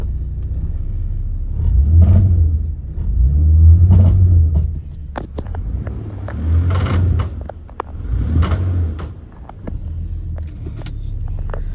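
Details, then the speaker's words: 2005 Ford Taurus, 160k miles, revved in drive against the brake: sharp irregular clicks over engine rumble under acceleration at various RPMs; no noise in park or neutral, persists after new transmission filter, fluid, CV axles, ball joints, tie rods, links. "Something is definitely making a noise. That clicking does not seem to affect the acceleration."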